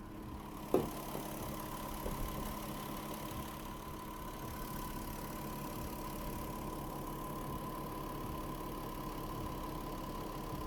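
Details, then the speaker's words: VW Touareg with a low oil pressure warning, driven about 19 km with two flushes added, warm: quiet steady idle with an even hum and constant pitch, no ticking or knocking after one early click; oil pressure at idle fine. "auto pracuje normalnie silnik pracuje wzorowo Nic się kompletnie nie dzieje"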